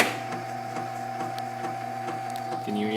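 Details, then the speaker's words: Brand-new Grizzly T10097 8-inch grinder/sharpener with badly wobbling wheels: steady motor hum with a faint tick repeating once per rotation, a catch in the motor, cause unclear. "this the engine every like a rotation it you can hear a I get grips or I don't know what's happening with the engine it doesn't seem normal to me"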